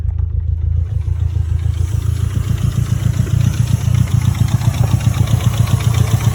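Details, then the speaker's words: Mitsubishi Evo 4 at 167,000 km idling after its first drive, with oil leaking and the oil pressure light on: a lumpy idle with loud uneven knocking of three to four beats a second; the knock source is not pinned down. "the motor sounds very knocky I must say I'm not too happy with it"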